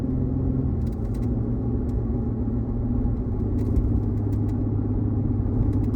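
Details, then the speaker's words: 2020 Chevrolet Colorado with a bad torque converter clutch, driving at light throttle with the clutch lockup disabled by scan tool: steady rumble with no pulsing or shudder. It drives fine with lockup off. "So I don't feel it anymore, and as you can see, that green line, since the green line that it was in there is not on there anymore because we shut it off, and then I can't feel anything now. It's driving fine."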